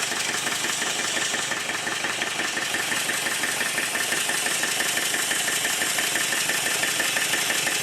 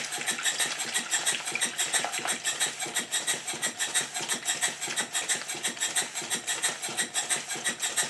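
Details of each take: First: Southworth duplex boiler feed pump steam engine run on compressed air after service, steam oil injected into the inlet: fast hissing exhaust beats, about three a second, with spluttery wet edge; rough running from excess oil blowing out the exhaust. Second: Southworth duplex boiler feed pump running on compressed air after the water outlet problem was fixed and the valve timing set: crisp, even exhaust beats at about ninety a minute, steady spacing and equal strength, almost locomotive-like; normal, even running.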